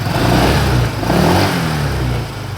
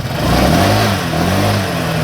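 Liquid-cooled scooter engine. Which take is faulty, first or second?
first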